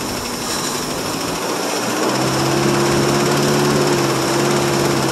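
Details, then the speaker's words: 1963 International C120 4x4, 266 V8, cold start after sitting three years: rough uneven firing that only runs while fuel is poured into the carb, starving for fuel, briefly flooding. "yep must be flooding her a little bit go ahead again [Music] okay yeah I can keep it running by just taking him e again again what she legs for gas again"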